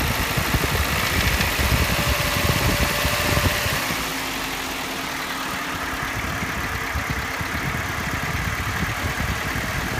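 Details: Toyota Yaris 1NZ-FE rebuilt with forged internals (9.0:1 pistons, forged rods, new timing chain kit, VVT-i sprocket), ~2300 km since: thin, high-pitched metallic internal rattle, faint at idle, loudest around 1800–2000 rpm, rising with revs.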